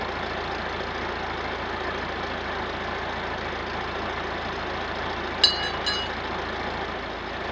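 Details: Massey Ferguson 50HX 4wd backhoe loader, 4-cylinder Perkins diesel, after connecting hydraulic pump to engine, testing hydraulics: steady even idle with low rumble, no knocking apart from a brief clatter midway; normal diesel idle.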